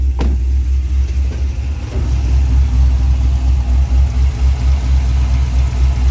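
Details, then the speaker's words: Abandoned Cadillac CTS-V with a cammed LS V8, good oil pressure and no lifter noise: deep, steady burble at idle with light throttle blips, smooth with no knocks or misses; likely Flowmaster exhaust; the engine is healthy. "good sounds healthy sounds like every other ls i've ever owned"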